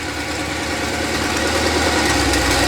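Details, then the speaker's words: Budget LS-swap Mustang with a 4L80 automatic, started and put in gear with a new internal harness and the sensor plugged in. Idles under load with a slightly uneven, lumpy beat and won't shift; rough idle, cause unconfirmed, owner suspects the sensor/harness combination. "Nothing. And to me, it sounds like I got an idle problem."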